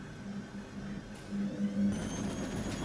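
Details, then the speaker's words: Brandt 7 kg 1400 rpm washing machine (Max 1489 SF) that fails to spin, 8 minutes left: quiet low whir as drum turns slowly back and forth balancing the laundry, no bangs or grinding; normal tumbling before spin. "donc ici on est à 8 minutes de temps final et on entend qui tourne le tambour qui tourne qui"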